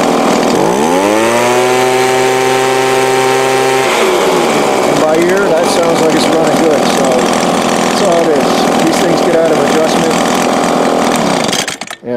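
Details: Two-stroke small engine with Walbro/Zama-type carburettor, full throttle after high-speed needle adjustment: revs cleanly to a steady, high, even buzz with no bogging or surging; previously bogged at full throttle while idling fine, carb out of tune.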